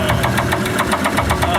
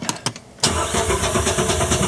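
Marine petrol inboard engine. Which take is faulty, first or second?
first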